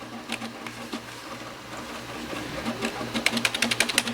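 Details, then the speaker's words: Asus M32AD OEM PC booting in UEFI mode: the hard drive gives rapid irregular clicking and clattering over a low hum, seeking louder and harsher than a healthy drive should. "now that it matters that drive is loud I me listen to"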